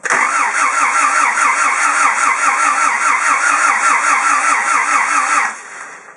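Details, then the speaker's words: Timing reset by owner and not skipped, cranked on a non-4WD battery: small starter churns about two beats a second, engine tries but never fires; heavy blow-by haze while cranking, reportedly stopped driving with a noise. "It's only got a small starter motor, but it tries to run, it just won't. So you'll see the amount of blow by that sort of comes out."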